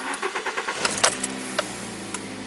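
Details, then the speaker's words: Toyota Corolla VVT-i petrol, cold start: brief cranking, then a steady even fast cold idle around 1100 rpm, which should drop to 800–900 when warm; normal. "and when this motor is called this turn speed should be something like 1000 and 100"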